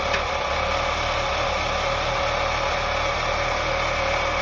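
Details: 2001 BMW 525i E39, M54 inline-six at idle: occasional sharp knock cutting through, only a couple in several seconds, with misfire; owner suspects loose spark plugs, unconfirmed.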